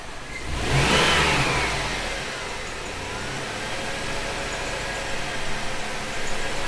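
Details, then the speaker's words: GMC Yukon after fitting a used A/C belt tensioner pulley; engine revs then idles with a thin high squeak; tensioner pulley suspected of not spinning freely, may need replacing again. "well it's definitely still squeaking you hear it squeaking in there yeah that's not good for the belt if that thing's H that thing's kind of not spinning freely"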